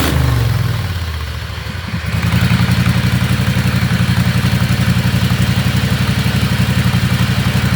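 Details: Riding lawnmower after fitting hydraulic brakes and shifter to its transmission, no noise from the setup; even single-cylinder chug at settled idle after a brief rev, no clatter or whine: normal running.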